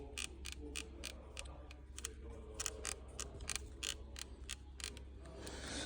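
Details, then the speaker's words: Audi A6 C8 front dashboard panel being pressed: sharp, irregular plastic ticks and creaks from loose trim clips; fix is to glue every edge of the panel. "вот именно вот здесь вот вот когда ходит он начинает скрипеть"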